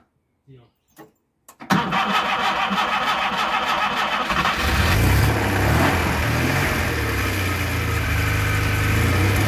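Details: Škoda 1000 MB / 1100 MB De Luxe starting for the first time in 15 years: a few clicks, then the engine catches and settles into an even, slightly busy idle that steadies after a few seconds; runs fine.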